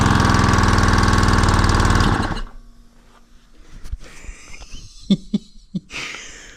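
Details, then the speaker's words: Honda GX120 gasoline single-cylinder engine on a 2014 air compressor, bought as junk with no compression; first start after priming runs about two seconds lumpy and uneven, then cuts out, exhaust thought full of excess gas and oil, smoke. "We need to get this thing outside, though, because there's so much gas and oil in the exhaust, I think, is what's happening."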